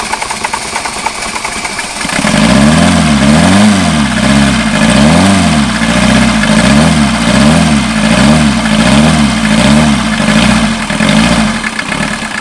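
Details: 1989 VW Jetta mk2 diesel, 5-speed, about 118,000 miles, revived after sitting about 14 years, on new fuel and a new battery without starting fluid: catches, revs up and down in slow even swells, then settles to a steady idle; sounds healthy.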